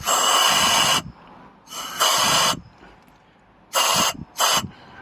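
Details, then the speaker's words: 2014 Vauxhall Movano 2.3 diesel M9T 870, non-starter with about 90 psi compression in cylinders 2 and 3: leak-down test, sharp air hiss bursts as air fed into one cylinder escapes from cylinder 3; suspected blown head gasket between cylinders. "air I put in here it's coming out cylinder 3 now to me that's not meant to happen and that's quite a big problem"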